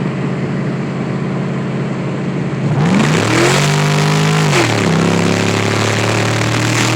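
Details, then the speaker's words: Lincoln with rebuilt automatic transmission, run with mass air flow sensor unplugged: revs jump and climb without the car pulling harder, hanging flat like a boat; transmission slipping. "Holy shit, it shifts hard. Just kidding, it's slipping. Sounds like a boat."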